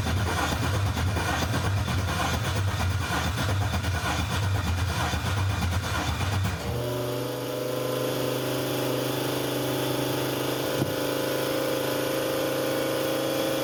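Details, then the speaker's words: Newly built 6.2L L86 Gen V LT V8 with Holley Terminator X EFI, first start attempt: starter cranks steadily about six seconds with no firing, then steady hum; data logs show no crank signal or RPM, crank sensor to be replaced. "okay after looking at data logs on that first crank um it does not appear to be picking up any crank signal no RPM is being reported"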